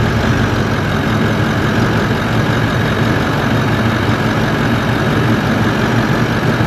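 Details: Toyota 1VD-FTV turbo diesel from a 79 Series swapped into an 80 Series Land Cruiser, first fire-up after an ECU adjustment: deep, steady rumble with even beat, no knocks or misses; clutch fan seems stuck on.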